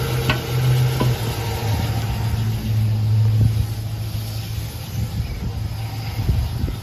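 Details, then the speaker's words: Early-2000s Chevy Silverado with a no crank, no start, started by bridging the starter with a metal rod at the passenger-side wheel well: steady low engine rumble, even idle with no knocks or misses, running smoothly. "there we go it's all started thanks to this thing always keep a little M rod in your car"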